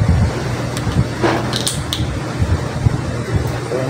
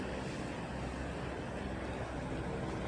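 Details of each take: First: Stand electric fan on speed one: steady hum, blades won't start, only turning slowly; fixed by replacing the start capacitor (1.5 µF 450 V). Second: Stand electric fan running normally at speed one after a new 1.5 µF 450 V starting capacitor replaced the failed one that kept it from starting: a steady, soft rush of air with a low hum, even throughout.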